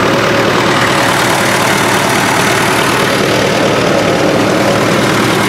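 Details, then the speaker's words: Rebuilt engine on an old MD tractor, stuck for about 40 years, now with new rings, rod and main bearings and a shop-reworked cylinder head; on diesel it runs rough and lumpy, not firing on all cylinders, cause unknown. "I'm having some trouble on the diesel side it's not wanting to run on all the cylinders I'm not sure why"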